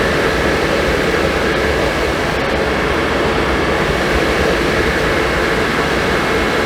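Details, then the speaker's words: Suburban RV furnace after replacing the faulty gas valve that passed no gas: steady rushing blower with burner roaring evenly, no popping or sputter; lights and runs normally. "You hear it ignite? Yeah, it lit. Smells good, sounds good."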